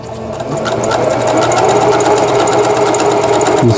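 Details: Singer Stylist 7258 110V sewing machine, after repair of needle regulation cam crank and reverse button: even needle chatter at moderate rate, brief pause for reverse then forward again; normal straight and reverse stitching.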